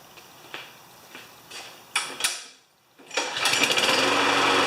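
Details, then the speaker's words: Free non-running mower that had a slight miss and a white, lean-running spark plug, after plug replacement: a few pulls then a steady, even beat; runs better; normal running. "Alright, it does seem to run better."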